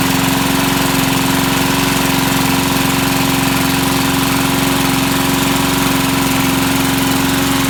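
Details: Vintage Sears/Montgomery Ward push mower's small single-cylinder engine, started to see if it runs; it holds a steady, even buzz with no misses or surging and runs normally.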